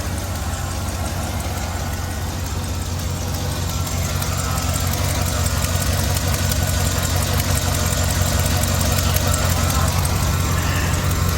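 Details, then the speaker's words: Hail-damaged GMC Denali of unknown year with a bent hood and a 6.2-liter V8, at a salvage auction. It has a steady, even, low V8 burble at idle with no knocks or misses; not the healthiest, but not bad: normal idle. "she all sounds like she'll sound like she runs the healthiest but i mean it's not bad it's not bad by any stretch the imagination"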